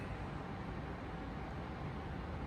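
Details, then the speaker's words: Twin-turbo Nova engine after correcting ignition coils wired backwards on one bank: steady, even low rumble with no misfire, now firing on both sides instead of one, though idle and air-fuel remain untuned. "but that sounds a lot healthier and better for sure now that it's firing on both sides of the motor instead of just one."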